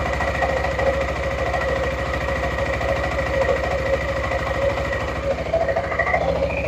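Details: Suzuki Burgman 400 (2007-2017) after belt replacement and CVT maintenance: steady, even engine hum with light metallic tinging as clutch shoes touch the bell housing; normal, quieter CVT running.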